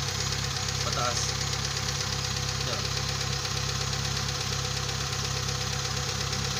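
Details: Kia Pride CD5 that would not start despite new spark plugs, high-tension cables and a strong battery, now starting on one click: even settled idle with no misfire or stumbling; running normally again.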